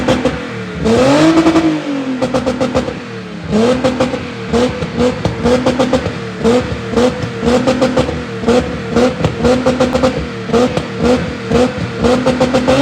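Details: VW Golf Mk1 (VR6 tagged) with broken exhaust awaiting repair, revved; loud raspy popping and crackle with each rev, blips rising and falling sharply, rough blatting note. Exhaust leak.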